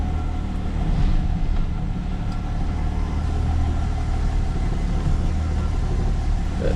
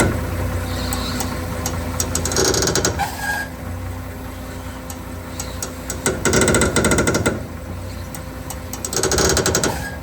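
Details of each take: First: XC turning the steering after a fix to the steering idler arm and after shortening the sway bar link so the bar no longer rubs the chassis; steady low engine rumble, with the earlier grinding and creaking gone. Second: XC grinding when the steering wheel is turned, started after a long drive: engine idling with harsh grinding bursts on each turn; steering idler arm grinding, owner suspects dust got in.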